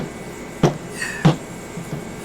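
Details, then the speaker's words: Rolls-Royce Phantom III rear shock absorber, freshly assembled, not yet filled with oil: two soft hollow thumps with a short hiss as the arm is worked; air pumping through the dry damper. "I like to go back and give it a little more exercise ensure things are feeling good hear the air pumping in it"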